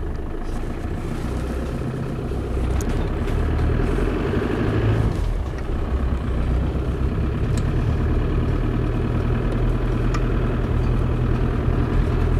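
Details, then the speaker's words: Land Rover Defender 90 200Tdi, 119,500 miles: deep, steady diesel clatter at idle after a cold start, settling evenly with no misses. Starts well hot or cold, no hesitancy, no overheating, slight turbo whistle mentioned; healthy engine. "As I say, it starts nicely whether it's hot or cold. No hesitancy, and very importantly no overheating."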